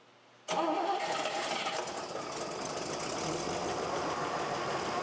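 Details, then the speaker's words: Carbureted drag car engine started for the first time again after work, choke left open: catches cleanly and settles into a smooth, even idle with no lifter tick, very quiet. "No lifter tick whatsoever. Go ahead and try it again. Holy crap, it's silent."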